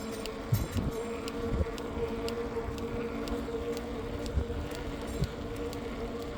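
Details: Specialized Turbo Tero 5.0 e-bike: sharp light ticks about twice a second over steady motor hum from rear wheel; disappears when rear tire pressure is very low; dealer could not identify cause.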